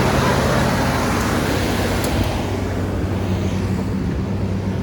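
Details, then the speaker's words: 1987 Chevrolet Monte Carlo SS V8 first start after sitting 20 years: fairly steady, slightly uneven idle with low burble, some smoke, no knocking; running normally. "So y'all see, it run. We finally got it started after 20 years of sitting."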